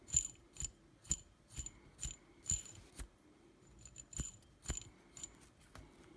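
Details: T-Motor F40 Pro 2400kv brushless drone motor: sharp gritty clicks about twice a second as it turns; bearings rough from new or failed within one battery; rough worn motor bearings.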